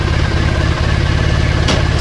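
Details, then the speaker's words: Triumph Bonneville twin checked for stuck clutch, front brake on, clutch in, gear selected: steady even idle that doesn't drop or labour; plates free cleanly, no drag. Clutch disengages freely. "Oh, and look at that. It's absolutely fine. That's the clutch drag. So yeah, it's absolutely fine, the clutch."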